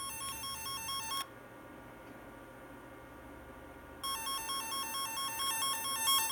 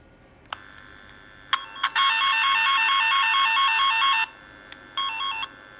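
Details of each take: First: F set twisted-pair tone tracer: warbling two-pitch tone cuts out for about three seconds then returns, caused by a poor connection, temporarily fixed by wrapping the wire. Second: Repaired F set twisted-pair tone tracer, after a loose connection was wrapped: clean warbling two-pitch tone held steady about two seconds then a short repeat, working properly.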